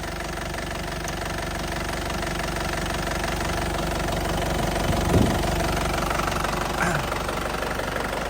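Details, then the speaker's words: Isuzu Panther Grand Touring 2010 diesel at hot idle, no smoke from oil cap or dipstick; crisp, even clatter with no misses or wobble; engine running cleanly and stable. "Suaranya juga masih sangat renyah ya, masih sangat renyah, masih ciri khasnya Panther banget ya. Mesin sama sekali tanpa goyang, masih stabil banget."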